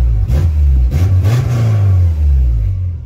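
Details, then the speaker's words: Subaru after fitting a cheap Thrush turbo muffler via adapter to the previously too-loud exhaust; deep smooth rumble swelling with throttle blips and settling evenly, no rasp or rattle, a little rubbing. Healthy exhaust. "a good rumble to it now but yeah so cool"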